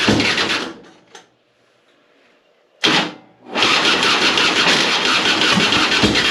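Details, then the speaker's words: 2005 Harley-Davidson Softail Heritage Deluxe, choke out, battery replaced last year, hard starting. Sluggish, labored cranking at about three turns a second with a pause before catching. Owner suspected the starter, but the cause was corroded battery cables, fixed by wire-brushing both. "I think it's getting fuel because it seems like it fired yesterday but it the the start is going really slow so I'm not sure if it's the starter"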